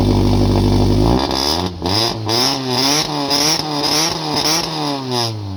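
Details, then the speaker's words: Race car's first start after header repair with both O2 sensors reinstalled and wires tucked away from the header: engine catches and idles steadily with gentle rev blips, no ticking or puffing at the manifold; sealed exhaust, no O2 codes, normal running. "So I've spent so much time in this car, I can already hear that it's not leaking. This is all good."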